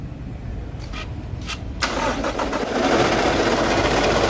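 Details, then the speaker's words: Toyota 1GD/2GD diesel: engine cranks and catches, then a steady rough whirring hiss over the idle grows slightly; worn alternator bearings, not the engine, are the cause. "o mga guys issue ng 1gd 2 DJ alternator ano alternator noise o kaya bearing maingay sige"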